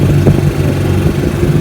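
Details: 1955 Johnson Seahorse 10 hp outboard after mechanical restoration (ignition, carburetor, gearcase rebuilt), in the water on lake test: steady low two-stroke burble, even firing with slight wobble, no knocks or rattles; normal idle.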